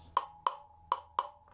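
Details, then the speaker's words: Heated aluminum rear hub of a 2007 Suzuki DR-650 as a rear wheel bearing is driven in. Four sharp, ringing hammer taps; the pitch changes and the last blow sounds duller, showing the bearing is fully seated, with barely any effort needed. "Barely took any effort, and you can hear when I'm hitting it, the pitch changes, and that's how you know you have it all the way down."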